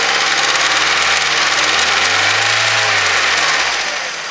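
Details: Mazda 3 1.6, 2007, engine knock: a steady ticking knock near four per second through idle and a rev; source of the knock unclear.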